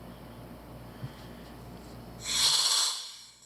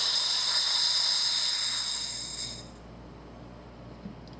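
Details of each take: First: Sherwood scuba second-stage regulator after adjustment: near silence, then one clean, airy inhale hiss that stops sharply with no leftover leak hiss; the regulator breathes normally. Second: Sherwood scuba second-stage regulator before adjustment, as gas is turned on: a loud, steady high-pitched hiss for about three seconds, then it cuts off. This is a free-flow leak corrected by adjusting the second stage.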